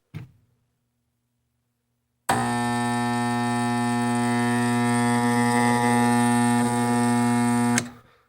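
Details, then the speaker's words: Furnace not turning on: draft inducer motor gives a loud, steady electrical hum for about five seconds with no spin-up whir, powered but stalled; owner suspects the inducer motor is the fault. "sounds like the motor's trying to spin but it can't so I'm thinking this is the problem"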